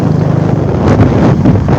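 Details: Royal Enfield Bullet Classic 350 riding steadily at dusk: an even single-cylinder exhaust thump with wind rushing over the mic, a healthy Bullet exhaust beat.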